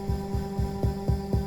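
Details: Rafferty Timepiece Triple Analogue tremolo pedal, owner complaint of choppy clicking before the capacitor mod: low thumps about four a second over a steady hum from the LFO's sharp turn-off, tremolo pedal thump.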